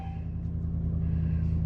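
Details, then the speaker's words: 2009 Ram 1500 Hemi V8 at 182,507 miles, first cold start of the day, intake duct bag fitted for IAT sensor; deep, smooth, even rumble with no ticks or misses; normal idle. "that actually sounds really nice"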